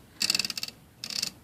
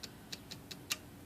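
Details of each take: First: IBM Selectric III typewriter after replacing a worn detent roller that caused misfeed indexing: two short bursts of crisp, evenly spaced ratchet clicks with clean stops, no slipping; indexing healthy. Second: IBM Selectric III typewriter after a complete service: light, sharp ticks with an extra click during indexing, ending in a heavier clunk. The cause is a worn, grooved detent ratchet roller causing index misfeed, which was replaced.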